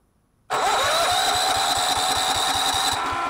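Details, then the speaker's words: Miller Bluestar welder engine, sat 5 years, after cleaning the gummed-up carburetor including low idle jet; starts straight away and runs evenly with regular firing, no misses or knocks. Normal running. "but it actually runs pretty good now I figured it was just gummed up again"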